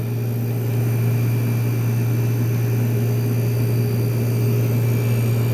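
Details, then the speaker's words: 1973 GM Frigidaire 11,600 BTU air conditioner, corroded unit, compressor kicking on at first start: constant smooth low hum, no knocks or rattles; compressor sounds happy, normal running. "there goes the compressor sounds pretty happy of course being a uh reip it's smooth as and it's already"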